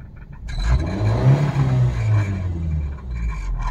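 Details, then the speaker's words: Suzuki Baleno, at idle and when accelerating and also heard at start-up: low droning rumble with a rough scraping buzz from under the car, caused by the exhaust silencer vibrating against the body. "वो आवाज़ वो body का नीचे से आवाजें यहां पे गाड़ी के नीचे की ओर से एग्जास्ट साइलेंसर हैं अब देख सकते हो वाइब्रेशन जो आवाज़ है फ्रेंड्स नीचे से साइलेंसर यानी की एग्जास्ट से आवाजें कुछ कहीं पे गाड़ी छू गई है रास्ते में"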